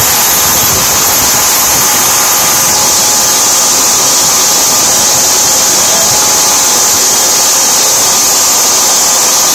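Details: Tiernay turbine fired up after sitting two years, following repair of a high pressure fuel line: high steady rushing whine with constant tone on top, holding speed evenly; running normally.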